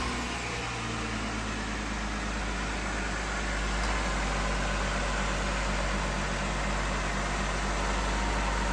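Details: 2017 Jeep Wrangler Rubicon, 3.6L V6, five-speed automatic, 87,000 miles, started on a 107–108°F day; a steady, even idle with a smooth low hum and no knocks, misses or rattles, and the engine sounds healthy.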